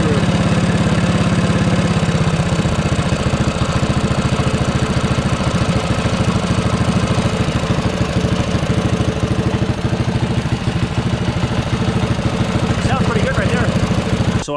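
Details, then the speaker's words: Predator 212-powered MotoVox minibike after its PZ26 carburetor was cleaned and tuned, with the fuel screw about 1.5 turns out and idle set by the slide screw: a steady, even single-cylinder idle with a regular beat and no misses. It is running healthy. "I turned down the idle where I wanted it. So, now it seems like it's running pretty good."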